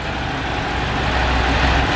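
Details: Ducati 750 SS Super Sport, 750cc air and oil cooled V-twin, about 65 hp, warming after choke start: deep steady burble rising slightly and holding even, no tapping or clatter; normal idle.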